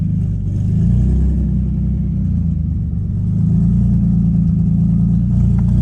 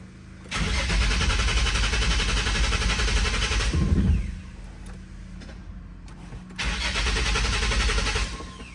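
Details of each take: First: 2005 Nissan 350Z with VQ35HR swap, 69,000 miles, running for the first time since 2018 after 7 years abandoned; steady, even low rumble with smooth firing and no knocks or misses; fuel pump sounded weak beforehand. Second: 2005 Nissan 350Z, 69k miles, VQ35HR swap, abandoned, unlocked ECU, after two hours of electrical diagnosis; steady cranking churn, pause, more cranking as engine tries to catch, fires unexpectedly; cause not found.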